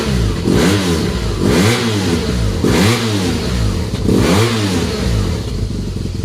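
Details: BMW R1200GSA twin after exhaust flapper valve removal (de-restriction): four quick throttle blips, each rising and falling cleanly with a deep, open burble between; the engine revs freely and sounds healthy.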